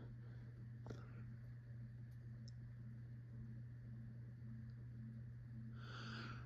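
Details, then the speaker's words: Carroway 52-inch spinner ceiling fan, model EF100, bought used, running at speed: a steady low electrical hum from the motor under a quiet room; noticeably noisy, with little that can be done about it. "the motor on this thing is kind of noisy you can definitely hear a hum from it not much you can really do about that unfortunately"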